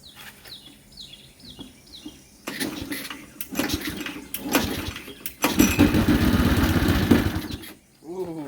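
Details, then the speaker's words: Modified Briggs and Stratton single-cylinder engine with homemade oil flicker, refilled with 12 oz 10W-30, starting and running steady, even putter with no oil leaks, misses or knocks; normal running. "sounds real good no oil is leaking one more"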